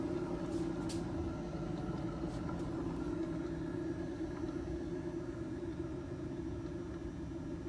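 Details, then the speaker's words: The rear wheel of a 2012 Nissan Sentra spins with a steady low hum and rumbling undertone, said to get louder with speed. The rear hub bearing is worn and is to be replaced. "they have humming sound of you guys can hear and I imagine that sound going at 60 miles per hour it's a lot louder the faster you go the ladder is gonna get so we have a bad hub bearing"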